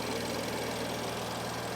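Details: BMW idling after valve cover and PCV replacement, fuel rails primed after lines were disconnected: smooth, even idle with a steady low hum, no ticking, knocking or hunting, no fuel leaks; job successful.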